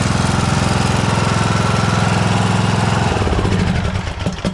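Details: John Deere S100 riding mower after its annual service (oil and filter changed, parking brake set): engine runs steady with an even quick firing rhythm that settles as it throttles down. Healthy and smooth.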